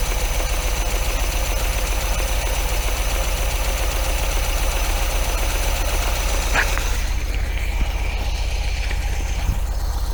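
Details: MGB engine after oil, filter, plug change and tappet adjustment, lapel mic beside engine, not yet warmed up: low, uneven loping idle at three or four pulses a second, steadier than before but still rough, no longer needs choke.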